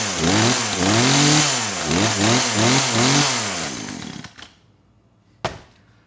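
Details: Poulan Pro PP4218AVX chainsaw, started on half choke: it revs up and down in surging bursts and dies as soon as the throttle is released; it won't hold idle, carburetor suspected.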